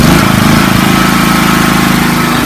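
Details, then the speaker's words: Small petrol generator running after gasket fix (gasket reversed and rotated 90 degrees), choke off: smooth, steady, even speed with no misses or knocks; problem solved, running normally. "voila! A one-fix generator. Absolutely pleased to bunch. Yeah, so solved that problem."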